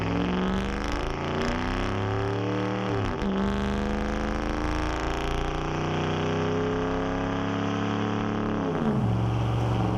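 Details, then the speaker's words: 2009 Dodge Ram 5.7 HEMI V8 (replacement engine just past 500 miles) with new Flowmaster Outlaw dual exhaust replacing Banks Monster: deep smooth burble rising cleanly on blips, settling evenly; more aggressive but loud only under throttle; normal exhaust note. "Yeah, it's a bit more aggressive, but it's deceiving. The Banks exhaust was just loud all the time. The Flowmaster exhaust here is only loud when you're on it."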